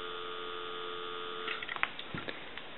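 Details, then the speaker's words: Kellogg / Western Electric 302 rotary telephone at initial checkout. A steady, even dial tone holds for about a second and a half, then a few handset clicks, before a time-and-temperature number is called. The line sounds healthy. "so we'll go ahead and give you some dial tone"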